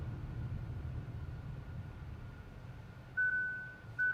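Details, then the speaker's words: Kia Seltos turbo-petrol iMT, slowed to a crawl after being slotted into 6th gear at 30 km/h: two short mid-pitched beeps over a low engine hum as the cluster shows "please shift down"; beeping stops in neutral; normal shift-down warning. "You can hear this alert. Please shift down is the information alert on the cluster."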